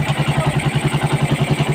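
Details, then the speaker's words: Raider 150 motorcycle running after timing chain replacement: clean even exhaust pulses about nine a second, no ticking or rattle; engine no longer sounds like something grinding inside. "Maganda na yung andar niya mga idol. Yung tunog na makina, hindi na parang may ano, may nagigira sa loob ng kanyang ano, makina."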